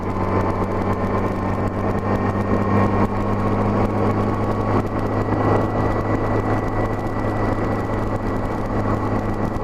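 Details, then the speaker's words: 1984–85 Honda GL1200 Gold Wing after Honda Service Bulletin carb kit: steady climb on light throttle where surging used to occur, even drone with no surging or hunting; running normally. "here a steady climb under light throttle is where I noticed a lot of the surging"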